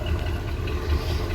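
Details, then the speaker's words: 1986 Ford F250 with the 460ci 7.5L V8, recorded at the exhaust pipe at idle: a deep burble with occasional uneven thumps, a slight miss. The owner says it may need a tune-up but suspects the fuel filter. "But you can hear we've got a little bit of a miss. It may just need a tune-up, you know, plugs, wires, the whole shebang."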